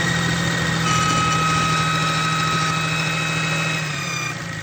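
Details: 6.7 Cummins diesel at idle: steady idle with a thin, constant high whistle on top that drops away near the end; cause unclear, turbo suspected. High-pitched whine at idle.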